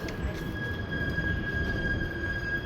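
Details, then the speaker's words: Excel hydraulic elevator (originally Schindler MT, Monitor TR1500 fixtures) in a parking garage; a piercing steady high squeal over low rumble while moving. Speaker suspects a bad clutch; unconfirmed. "And there it is right there. That's how loud it is."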